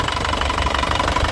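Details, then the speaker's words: 2016 Isuzu Panther LS Turbo diesel, first owner, sealed factory engine, hot: quick even diesel clatter at steady idle after revving, no knock or miss, no smoke at all. "ya tidak ngasap sama sekali mesinnya dijamin istimewa Lur mesinnya 9,5 nilainya jamin"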